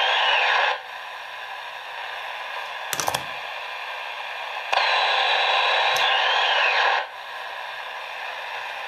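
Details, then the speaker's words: Radio held near a standard switching power supply. A hissing buzz with a faint whine that fades slowly after unplugging as the supply discharges. Switching power supply radio frequency interference. "that's a big source of noise obviously here's a standard switching power supply you'll find on many electronic devices nowadays"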